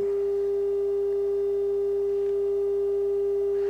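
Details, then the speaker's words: Harman Kardon 75+ receiver after overhaul, test tone at the preamplifier output of the previously bad right channel: steady, pure mid-pitched tone with no hum, buzz or crackle; channel now clean. "here's the left channel that's what's coming out of the preamplifier that was the good channel and here's the right channel the one that was bad it's now all cleaned up"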